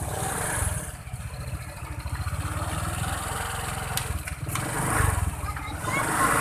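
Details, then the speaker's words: Honda Vario 125 after replacing a worn, loose CVT rubber and a cracked part: a steady low putter at idle with a smooth belt-drive whir, and the earlier creaking and clicking is gone; normal CVT running. "Suara kretek-kretek udah hilang ya."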